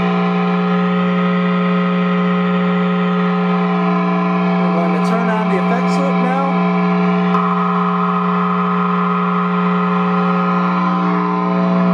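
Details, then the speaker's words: Loud steady 60 Hz ground-loop hum with overtones, unchanged throughout, through a Hughes & Kettner Switchblade 50 W amp; ISP Decimator G-String shares a daisy-chained pedal power supply with pedals before the amp input. "now it's quiet so we've got quite a bit of a problem there and it's been compounded because now there's a 60 Hertz hum"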